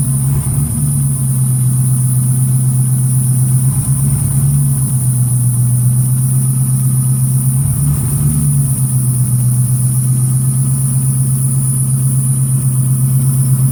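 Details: 383 Chevrolet V8 newly fitted with FiTech 30002 throttle-body fuel injection, fuel pump wired to FiTech orange wire and system primed: steady deep idle, even low rumble, no misses, knocks or ticks, normal idle.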